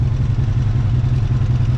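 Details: Honda VF750F V4 at idle before carburetor synchronizing, engine started cold with choke: lumpy, uneven idle with ragged low beat and irregular pulses between cylinders; carbs out of sync.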